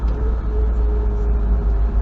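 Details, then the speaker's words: 1980 Triumph TR7 at cruise on an extended run, passenger window slightly dropped: steady mid-pitched whine over road rumble; normal gear whine of the Rover 5-speed gearbox. "And you hear that, the whining of the gears. 5-speed gearbox."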